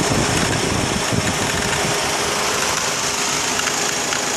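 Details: 2004 Honda Accord petrol engine idling with a light, irregular clicking near the belt drive over a hissy running sound; belt tensioner visibly moved slightly, cause was a failed belt tensioner, and replacing it cured the noise.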